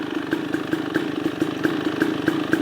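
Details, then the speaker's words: 2023 KTM 300 XC two-stroke after crank seal replacement and new clutch dampers: crisp even popping at steady idle with light clutch rattle that changes when the clutch is pulled; owner believes it's fixed; normal idle. "Not 100% sure, but I think that actually might be a little quieter motor. Still a very loud motor, but probably not because of, could be the oil, but also by getting those dampers in that clutch."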